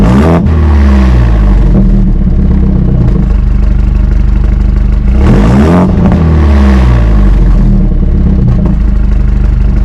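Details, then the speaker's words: 2018 BMW 430i Gran Coupe (F36), B48 four-cylinder, modified, engine warm (not a cold start): deep throaty revs climb and fall back to a steady idle twice, pitch tracking throttle cleanly; healthy revving. "Yeah man so right now that's what it sounds like um she sounds good man she sounds really really really good especially for a four banger"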